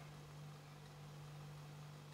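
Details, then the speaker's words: Vintage reel-to-reel tape recorder warming up on a series bulb, Magic Eye very dim suggesting many hours of use; faint steady low hum of the motor running normally. "I can hear the motor running though, and the Magic Eye is just coming up now."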